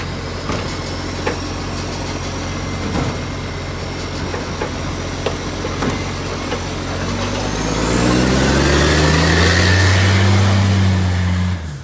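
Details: Garbage truck (Shire of Serpentine-Jarrahdale, SL001401) diesel engine running under load with a steady ticking puff over it, then revving with a rising whine; major exhaust leak suspected.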